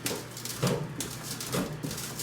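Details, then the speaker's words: Ariens snowblower: loose, hollow banging clunks as the wheel is lifted and dropped by hand; drive axle bearing on that side completely shot, other side tight. "You can even hear the banging. This axle bearing is completely shot."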